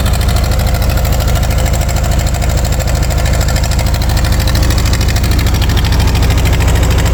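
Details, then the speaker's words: 1940 Ford 9N tractor, cold start with choke held; slow, even chuffing idle with puffy exhaust beat around 158 a minute; small exhaust leak (new clamps on hand) and idle set a little low, otherwise runs very well. "does have a little bit of an exhaust Leake there I have a new one these little clamps for it"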